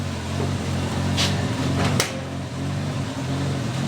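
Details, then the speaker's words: 1988 Chevy Nova hatchback with a single-overhead-cam Corolla-based engine, recorded inside the cabin; owner says it runs until hot, then wants to die from not getting enough gas: a low hum with uneven pulses and stumbles, rough running. "till it gets hot, then it's gonna want to die because it doesn't get enough gas."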